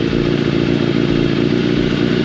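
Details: Yamaha FZ750 carbureted 20-valve inline four started with battery disconnected using TOPDON JS1200 jump starter in boost mode: even, smooth idle with a quick steady patter, no misses or knocks; normal idle.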